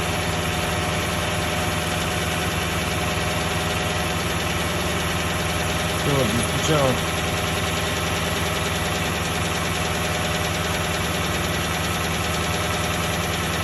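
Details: Toyota 1UR-FE V8 at steady idle with a faint irregular knock of roughly a hundred beats a minute; the knock gets more distinct as the oil thins and oil pressure is said to drop at 1/4. Cause unknown.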